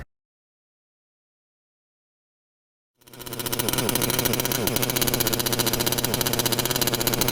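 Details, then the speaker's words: Gas Losi LST XXL2 1/8 single-cylinder truck at first start: fast, uneven buzzing and irregular popping, smoky, shutting down once accelerating; misfire-like, suspected low voltage in the receiver pack powering the CDI ignition. "Nope. Definitely smoky, but yeah, once we're accelerating, it shuts down. You could hear it. Kind of sounds like a misfire."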